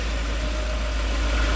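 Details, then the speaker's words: Volvo 740 idling after new belts, oil filter, full new exhaust and new fuel pump: smooth even low idle with steady fan hum, no knocks or misses, no exhaust leaks; healthy. "Sounds like a Volvo again where all you can hear is the fan."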